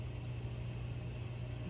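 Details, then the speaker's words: Red Dragon Bubble King 2000 pump after DIY impeller repair (glued with JB Weld), running about 3 hours: low, smooth, even motor hum, earlier rattling completely gone; normal running. "It's been going now for about 3 hours. You can see that sound is completely gone now."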